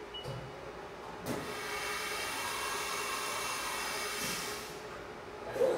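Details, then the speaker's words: CNC mill chatter demonstration after a tap test: a loud, steady, high-pitched ringing squeal through the cut, fading as the tool leaves; unstable cut (chatter). Only spindle speed differs from the stable cut. "okay so the cut we heard there was unstable that was chatter"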